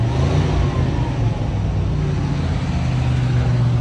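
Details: 1988 Chevy G30 motorhome at 53,000 miles, right after an oil change: low steady fast idle, even and free of knocks or rattles; noticeably quieter, engine sounds fine.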